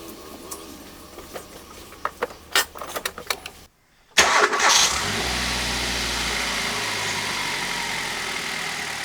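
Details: Hyundai i10 petrol engine on spark plugs unchanged for 15 years and with one past check-engine light, before replacement: quick start, then a steady, even idle with no misfire or knock; running normally.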